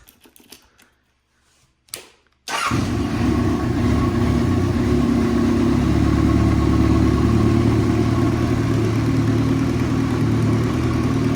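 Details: 1998 Kawasaki Voyager XII motorcycle with custom parts, aftermarket exhaust and airbox due to be returned to stock: brief starter crank, then it catches into a smooth, even, throaty idle with no knocks or misses. Sounds healthy.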